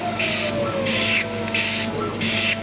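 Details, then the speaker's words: Chinese laser cutter run in RDWorks at power 9 to 22 and speed 50 during 3D engraving tests: rhythmic harsh squeaky hiss over a whirring gantry, a noisy cut showing operation in the pre-ionization power zone. "now that is a very noisy cut that tells me that we're working in this pre-ionization Zone"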